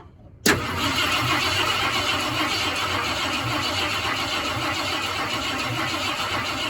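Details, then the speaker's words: 1972 Ford F-100 Ranger XLT after sitting over 10 years, cranked by jumping starter solenoid with a screwdriver: starter spins engine at an even, free rate without firing; cranking sounds healthy. "so you can just put a screwdriver across it wow that sounds pretty good so it's cranking over"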